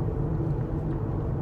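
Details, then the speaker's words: 2011 Cadillac DTS with a 4.6 V8, which squealed after new brakes and rotors were installed, now being driven. Only low, even road rumble with no squeal or scraping; quiet brakes. "no squealing now so uh she sounds good"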